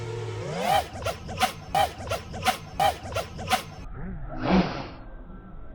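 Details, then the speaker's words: Betaflight 4.3 quad flown line of sight with no I term, doing flips and rolls: motors surge in bursts with a double woof at each move's end; P/D overshoot causing propwash oscillation. "So you can hear that woof, woof. Woof, woof at the end. So that is overshoot."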